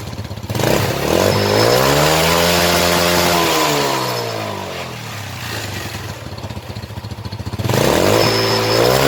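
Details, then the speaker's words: Motorcycle that backfired at the exhaust from an over-rich mixture, after fitting an air feed into the exhaust pipe: revs up, eases back and picks up cleanly with no pops or bangs; backfire gone, temporary fix, carburettor replacement the permanent one. "พอเสียงระเบิดที่ปลายท่อก็หายไปครับเพราะว่าเราอุดตัวเติมอากาศครับเข้าไปในท่อครับ"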